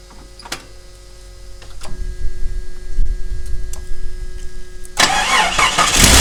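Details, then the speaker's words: 1988 Jeep Comanche, sitting for a while, first start on a new battery: brief crank with a few clicks, catches almost at once and settles into a full, even run; healthy start. "well fired right up kind of amazing anyway"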